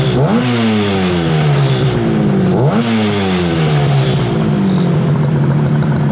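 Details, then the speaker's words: 1968 Yamaha YAS1C 125 two-stroke twin after carb sync, points and timing work, likely not fully warm: two crisp throttle blips, revs climb and fall back smoothly; response much better than before, normal throttle response. "I think this is sounding a lot better. The response is so much better."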